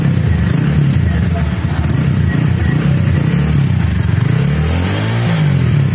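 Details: TVS Apache RTR 200 motorcycle after its silencer, which rattled like a tin can from a manufacturing defect, was replaced under warranty; deep, even exhaust rumble with a clean idle and short blips, no metallic rattle. Normal exhaust note.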